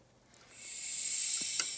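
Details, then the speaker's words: Maple sap vacuum system running dry, no sap: sharp steady high-pitched hiss of air sucked in at the biggest leak in the tubing at a line junction; aiming for 25–29 inches of vacuum with VFD pump. "boom that's the biggest leak like i said we're not looking for micro leaks we're not looking for sap sap leakage trying to make 29 inches of vacuum right now"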